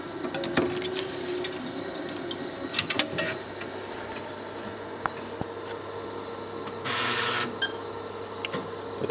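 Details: Tandberg Data TDV-2114 computer, 1977–1979, after wire resoldering and CPU reseating: internal floppy drive spins with steady whirring hum, faint rubbing and head-seek clicks; noisy floppy drive belt, drives still work.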